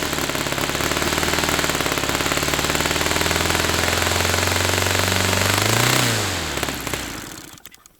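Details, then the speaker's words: Saito FA-300T twin-cylinder glow engine, hand-started cold on its original glow plugs with a dual glow adapter: a fast, even crackle from both cylinders at steady throttle, then it winds down and stops. Both cylinders firing cleanly; normal running. "Okay, so both cylinders were firing then. It was sounding good."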